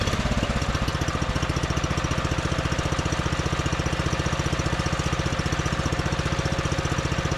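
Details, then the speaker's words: John Deere 110 mower that sat in a garage about 10 years, started after longer cranking once a jumper start failed: quick, crisp, evenly spaced firing pulses at steady speed, no misses or surging; normal running. "So, I guess I just didn't crank it over for long enough. Then thing is turning like a kitten."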